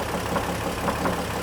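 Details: 2003 GMC Envoy 4.2L 4x4 automatic at warm idle with the serpentine belt removed. A dull knock repeats about three times a second and is still present with the belt off, so it is inside the engine, not the accessories.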